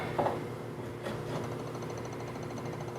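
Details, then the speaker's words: Lambda Omega MML 400 switch-mode DC power supply (400 W), no schematics: output only about 7 V and wandering; faint quick regular ticking over low hum as it keeps retrying start; unsure if fan motor or transformer current pulses. "all right so about 7 volts and you kind of hear that ticking sound that it's making voltage is very low kind of wandering all around there definitely not right"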